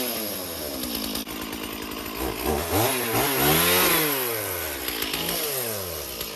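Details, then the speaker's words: Chainsaw cutting underbrush and punky cedar: revs rise and fall through the cut with a rattly chatter over the engine note; the chain was found really loose and chattering, then tightened. "I don't know why the chain is so loose. Weird. Really loose. Could hear it chattering away on there."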